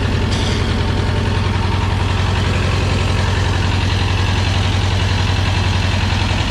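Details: 1985 USSR-built Belarus 250AS diesel tractor, sat unused about 8–10 years, after fuel-system and injection-pump timing work: steady, even diesel idle with a deep low thrum pulsing three to four times a second, no knocks; normal running.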